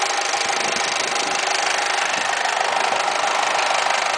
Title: Weird noise when AC is on